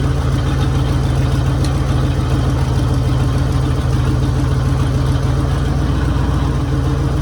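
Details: 1966 Mercury Monterey big-block V8 after fixing a fuel leak, water pump leaking: deep, steady burble at idle with even firing pulses and no knocks or misses; idling healthily.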